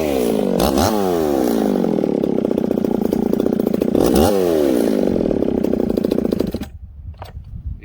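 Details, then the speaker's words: Ported 66cc chainsaw with ignition timing turned up slightly hotter and a pop-up piston, bearings previously replaced: screams through the cut, then burbles and sags as revs drop; running a little rich on the bottom end. "can hear that this thing's a little rich on the bottom end"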